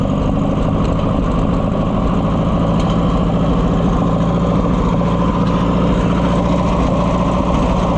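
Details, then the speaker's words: Oliver 550 loader tractor, long abandoned, just started: lumpy, uneven throbbing beat with choke pulled, never a clean idle; owner says it's missing and only runs, kind of, on choke; rough running, cause not confirmed. "We do not have a happy camper here, friends. Missing out. If I pull the choke out, I can get it to run. Kind of."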